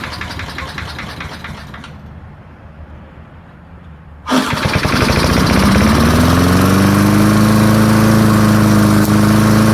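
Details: Early-1970s BF Goodrich push mower, barn find, formerly seized engine, after carb diaphragm got fuel flowing: catches abruptly, settles into fast even putter and climbs smoothly to steady speed; runs clean and healthy.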